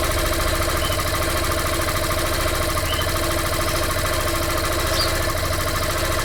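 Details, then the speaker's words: Recently bought Yamaha Fazer 150 running on ethanol (álcool), idling before its first service: a busy mechanical clatter over the single-cylinder beat with a steady upper tone; the owner suspects an abnormal engine noise but some say it is normal for Yamaha. "Lógico eu tô notando que ela tá fazendo um barulho eu acho um pouco estranho no motor mas já ouvi até alguns vídeos de outros de outras pessoas relatando esse barulho ou alguns dizem que é normal da Yamaha"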